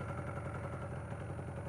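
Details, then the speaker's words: Yamaha RD400 twin on its first proper run, warming up: lumpy, uneven low idle with a loose clattery beat instead of a crisp twin rhythm. One cylinder is not firing; cause uncertain. "No fire on that cylinder, is it? Definitely not fire on that cylinder."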